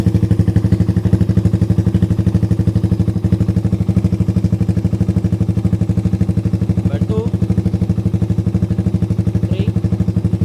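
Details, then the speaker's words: Suzuki Raider 150 after installing a budget racing CDI with 9 mappings, tested on map 1; steady even firing pulses at constant pace, no cutting or stumbling: smooth running, no rev-limiter cut. "Ayan, wala nang putol-putol yan. Dire-diretso na tayo."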